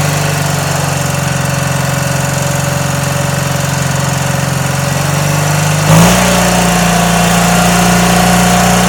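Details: Garden tractor with a Kohler Twin Series 2 engine, recently restored and serviced, idling after a cold start with a little smoke: even, steady putter with a small pitch shift partway through and no knocks. Normal idle.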